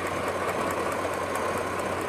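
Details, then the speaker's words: 2004 Chevy Tahoe with code P0300, random misfire and stumble at idle: a steady idle hum with a faint, quick snapping tick from arcing at one of two coil-on-plug ignition coils on one bank; exact coil unconfirmed. "You can hear it over there on that side. We just got to find out which one of these is arcing."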